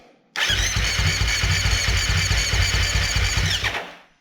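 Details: Husqvarna FS450 that died suddenly on the track, with spark confirmed by an inductive tester and fresh fuel: the starter turns the single over at about four beats a second for three seconds and it seems almost to catch but never fires; a crank no-start.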